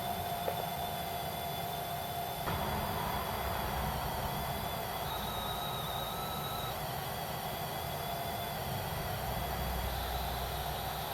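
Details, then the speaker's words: Amstrad CPC 464 tape deck loading: hissy data tones with jumping, wandering pitch at slow, variable speed; something slipping, suspected worn idler wheel and pinch roller rubber. "But yeah, it doesn't sound quite right. It doesn't sound healthy. It sounds like something's slipping somewhere."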